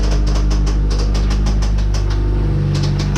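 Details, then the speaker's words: Station wagon with single-cam engine, blown up after hard driving: heavy fast knocking about three per second with harsh metallic clatter over a loud rough engine, like rocks in a blender; severe internal knocking and grinding. "You ever wondered what putting rocks into a blender would sound like? Well, this is pretty much exactly that."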